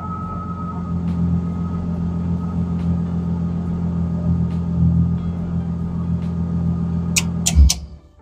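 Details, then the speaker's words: BMW E30 Touring, M50B25 engine, idling after the ignition coils were refitted: smooth, steady low rumble with no stumbles or missed beats until switched off; normal idle, no misfire. "vous faites un démarrage pour voir si il y a pas de souci si le moteur il tombe bien s'il y a pas de raté et cetera"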